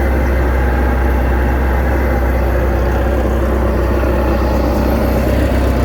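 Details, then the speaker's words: 1989 VIP Vision boat with OMC Cobra outdrive, first run after about five years sitting, carburetor being adjusted: steady low rumble, even and unbroken with no misses or knocks; running smoothly. "here I'd call that a win cuz she's running today"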